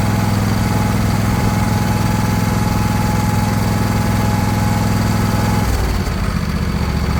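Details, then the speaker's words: John Deere LA120 mower, owner thinks a 21 hp Briggs twin, acquired non-running, battery weak on a 50-amp boost charger: a low, lumpy thrum with an uneven beat around two per second that stumbles near the end, running rough. "what she might need to run a little bit to kind of get happier or something"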